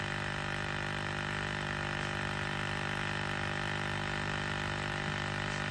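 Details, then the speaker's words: 1999-2007 Ford Super Duty (7.3/6.0 Power Stroke) with defrost-only air and non-working 4WD hubs: the electric vacuum pump hums constantly and never cuts off at about 15, pointing to a vacuum leak in the canister or hose; a split line was then found. "it should start shattering here any minutes because it should cut off at 15 yeah so it's sitting there trying to cut off so now we either have a leak in our canister or we have a leak in our hose"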